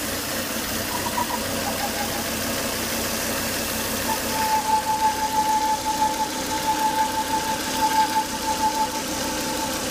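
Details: Volvo S80 2.5T engine after 10 to 20 minutes running: steady whistle-like whine that rises and wavers partway; high vacuum sucking at the oil cap from failed crankcase breather box, solved by replacing the breather box/filter.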